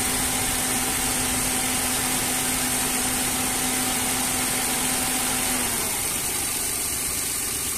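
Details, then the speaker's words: Dodge Attitude / Mitsubishi Mirage radiator fan switches on at about 96–97 °C coolant, steady whoosh and low hum, then cuts off as temperature drops toward 91 °C; normal fan cycling after repair of fan not turning on. "miren ahí ya aprendió prende el ventilador llega a los 97 y ya de ahí tiene que bajar"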